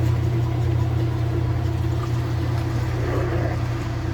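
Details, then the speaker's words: Kenmore 80 Series washer after broken motor coupler, motor swapped from matching machine, on spin up to speed: deep steady motor hum, even speed, no grinding or clunking; runs smoothly. "We're up to speed here, so we'll just push in the knob."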